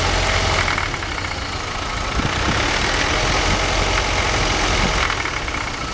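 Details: BMW 318i engine with a rough idle that rises and sags instead of holding steady, with an uneven pulse underneath.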